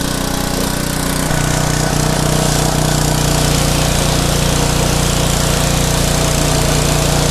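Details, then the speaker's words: Craftsman pressure washer, 5.5hp Briggs and Stratton Intek 190, gifted with run issues: strong, even single-cylinder drone at steady speed with smooth regular beat after repair; run about 10 minutes to warm oil before oil change; normal small engine running. "Well, this is turning out to be a good one. So after I shut that one off, I let that one run for, I don't know, maybe 10 minutes."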